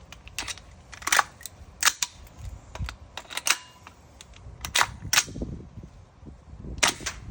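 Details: Tokyo Marui MWS gas rifle firing with uneven gaps and strength, misfiring; recently fitted F1 bolt, GM nozzle set with Federal Concepts NPAS, GM and Dynamic Precision buffers, GM nozzle guide, Bavtac Z plate; owner suspects trigger box.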